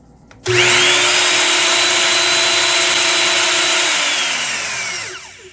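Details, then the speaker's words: 2004 Bosch miter saw, bought broken, reassembled after checks: motor spins up to a clean steady whine, holds, winds down smoothly with no grinding; earlier suspected bad bearing noise gone, bearings checked good; normal motor run. "sounds good. I was thinking it might have been in the motor, but that doesn't even have a problem."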